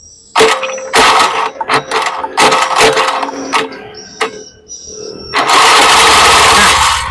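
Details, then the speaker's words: 2014 Honda Beat FI scooter, secondary microphone at the starter motor, motor jumpered directly bypassing the starter relay; several short loud cranking bursts then a longer strong run, starter motor good; relay suspected for no-start. "untuk lebih jelasnya untuk suara dinamo starternya kita coba jamper di sini"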